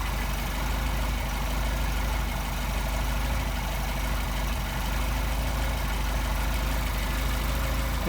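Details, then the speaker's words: Mercedes 190SL with tested Solex carburetors, warmed up, idle speed screw set to a little above 600 rpm: steady low even rumble, no misses or knocks; sounds good, normal idle. "up the idle just to smidge six and change six and change sounds good there"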